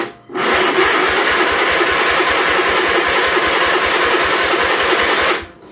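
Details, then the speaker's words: 1976 Sears SS18 tractor at half throttle, partial choke: starter churns with even compression pulses about four per second, never catches; spark tester confirms no spark, owner suspects gummed-up points. "I'm going to grab my spark meter and we'll put that on there and see if it has spark. Alright, so I got my little spark tester light hooked up. So depending on this camera, you guys may or may not be able to see it. No spark."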